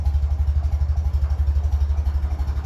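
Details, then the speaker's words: 1957 Ferguson 35 TVO tractor at low tickover: steady dull thumping knock about ten beats a second, fine once revved. Compression test suggests worn small end bearings and maybe big end, with oil watered down by TVO running cold. "it's Grand once you give it a bit of a REV bu when it's ticking over low you hear that so what the compression test is telling me is it is nearly wor just doing the big small end Barons"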